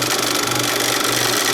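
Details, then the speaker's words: Bell and Howell 2575 16mm Filmosound projector run without film, lamp disconnected: harsh grinding rattle over the motor hum, diagnosed as a worn nylon drive gear for the lower sprocket; the worm gear also needs replacing. "And it's making a like a grinding noise when I fire it up, and I don't know why. It might be because I'm not running it with film. It could be normal, but it could also mean a serious problem."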